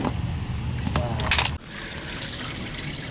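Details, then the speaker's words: Central AC air handler that iced up with no airflow because the unit, missing a cap, was full of water: a steady glugging trickle of water pouring out. "I could hear the water when I first came here. Glug, glug, glug, glug, glug,"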